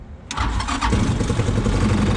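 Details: BMX 300cc side-by-side with Linhai 300cc engine after an engine build, on a weak battery that needs replacing: short crank, fires at once and settles into a steady even idle; normal start.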